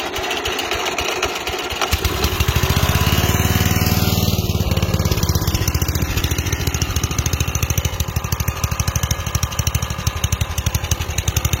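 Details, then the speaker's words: Westwood T1200 tractor after engine swap with replacement (non-Chinese) carburetor: starts well, holds steady at low revs, but speed swells and sags slightly at higher revs, governor hunting. "Vous allez entendre qu'il tombe très bien à bas régime, mais quand on monte, il régule un peu."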